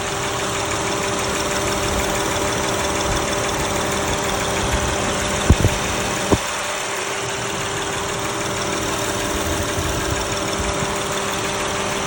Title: ticking sound front cyl head honda v6 195K miles valvoline restore and protect #valvoline #cars